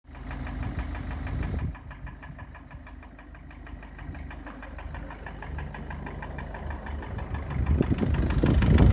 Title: Стук двигателя Мерседес Вито 638